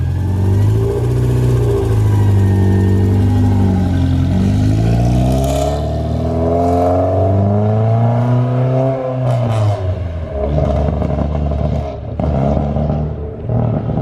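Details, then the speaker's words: Porsche 944 race car at first start after sitting, loud, revs rise and fall unevenly then coughs and stumbles under load in second gear at lower RPM; bogging from stale fuel, fuel very low, fixed by fresh gas. "I think I spoke too soon. Now it sounds like a fart. So. It likes first gear. The minute you get into second gear, we'll try to put it under load and lower RPM. Yep, it's the load. Yeah, it's really killing it."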